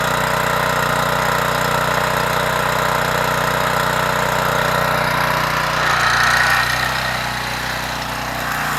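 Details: Troy-Bilt 2800 psi pressure washer after carburetor repair, running with water and a 15-degree nozzle: single-cylinder engine holds a steady, even drone under pump load with no misses or surging; runs normally.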